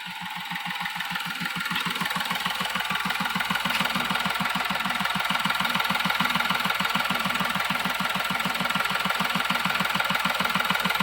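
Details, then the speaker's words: Diesel vehicle that had been stalling within 5–10 seconds of starting, with codes P0087/P0251: a steady, even clatter at about 200 beats a minute that holds without faltering. Normal idle after the repair. "Engine നേരത്തെ ഒരു 10 second ഒരു അഞ്ച് സെക്കൻഡിനുള്ളിൽ of ആയി പോകുന്ന ഒരു tendency ഉണ്ടായിരുന്നു അപ്പോ ആ ഒരു പ്രോബ്ലം കാണിക്കുന്നില്ല"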